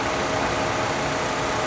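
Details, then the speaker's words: Aftermarket C4 Greenwood Corvette at an IAA auction yard, started on its own with no dash warning lights: even, steady idle with smooth hum, no misses or knocks; alternator charging nicely, engine running well. "he runs like a top hers like a kitten yeah alternators charging nicely"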